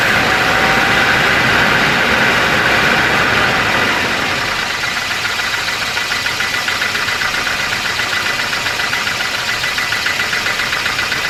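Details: 1988 Volvo 240 GL at idle with a regular light knock of nearly four per second ticking steadily from the engine's bottom end; the owner thinks it is most likely piston slap, otherwise the engine runs fine.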